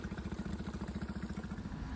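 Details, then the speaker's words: 20 hp Suzuki outboard on an O'Day sailboat, tested with throttle, forward and reverse all checking out: even, quick putter with steady rhythm, no misses or stumbles; idling smoothly. "Outboard sounding a little smoother now. I like that 20 horsepower Suzuki. Very nice."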